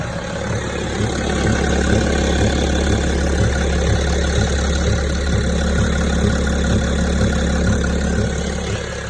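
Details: 2006 BMW E65 3.0 diesel: dull regular knock about four per second over a steady idle; engine knock, cause undetermined.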